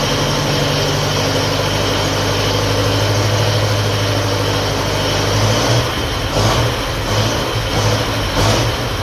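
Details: 1957 Ferguson FE35 TVO tractor, cold start on petrol, charging system test: even low beat with steady exhaust note, slightly lumpier near the end but no knocks; charging light stays on, dynamo or regulator suspected. Normal idle.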